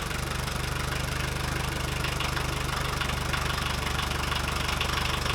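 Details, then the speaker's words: VW 1.6L turbo diesel at idle after fuel pump rework, cam plate turned 180 degrees. Clattering with a heavy, uneven shake, far more vibration than usual; owner suspects the pump timing is 180 degrees out. Rough running. "It's very vibratey right now, way more than it usually is, and it's possible it's 180 degrees out."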